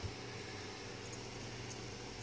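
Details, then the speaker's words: Properly working extruder stepper motor on a DRV8825 driver (set to about 1 A, MKS board, Marlin) extruding slowly: low steady hum, no squeal, nowhere near as loud as the hot, squealing motor, and still ice-cold. "nowhere near as loud and yeah I mean this one's still ice-cold that one's safe"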